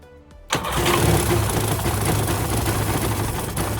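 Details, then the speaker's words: 1996 Sea-Doo GTI two-stroke after full fuel system rebuild (Mikuni carbs, filter, lines, selector), primed with 40:1 premix: catches at half a second into a steady, even two-stroke buzz; normal start and idle. "And we got this one running today by replacing the fuel system."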